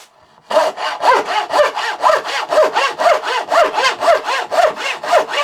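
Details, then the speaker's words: Thin turning saw blade just resharpened, making curve cuts: even back-and-forth strokes about two a second, each a crisp clean rasp, slight vibration from blade held too high; sharp saw cutting cleanly. "What a huge improvement. It's just fully transformers."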